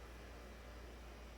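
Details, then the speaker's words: 2009 Toyota Corolla 1.8 with EVAP codes, after replacing the charcoal canister assembly because the old leak detection pump would not run: new pump gives a steady, even low hum with no pulsing, building vacuum with a reading of about 39 mmHg, fuel just over a quarter tank. "well it's building vacuum what did it say 39 millimeters of mercury"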